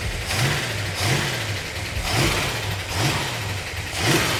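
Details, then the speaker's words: 440 Magnum V8, freshly built with roller rockers and roller lifters, first run with good oil pressure; crisp blips about once a second settling to lumpy idle, responsive; valves may need readjusting; healthy V8 rev. "God that feels good grab that up wow is that responsive that sounds good"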